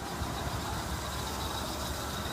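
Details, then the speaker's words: 1978 Buick with 403 Oldsmobile V8 at idle, squeaky fan belts: steady high whine over even idle rumble; owner wonders whether the power steering pump is making the noise, unconfirmed. "Kind of a funky noise that is. Is the power steering pump making that noise or what?"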